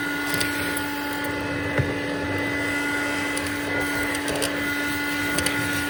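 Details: Vintage Hoover Dial-A-Matic 1136 upright with 840 W, 7 A motor, suction on high with the hose: a steady high whine with a faint dry rough edge under the airflow; owner says the motor sounds like it needs re-greasing.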